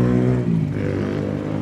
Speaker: Kelemahannya di mobil ini N20, dia di timing chain sama suaranya itu seperti mesin diesel. Padahal ini mesin bensin guys.